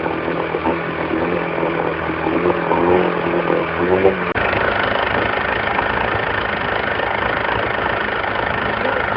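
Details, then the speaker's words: Mercury 115 two-stroke outboard before rebuild, exhaust in a bucket of water, getting noisier as it warmed: rough, clattery idle with a loose rapping knock from a scored, heavily worn piston with huge wall clearance; piston slap. "We had the exhaust in a bucket of water so we could hear the engine a little bit better. And as it warmed up, it gets pretty noisy."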